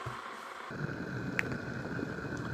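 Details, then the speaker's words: Charity-shop electric kettle being tested: rushing roar builds and holds at full rolling boil with one sharp tick, then clicks off; heats properly and tests electrically safe. "And that's boiling nicely there. It should click off in a minute."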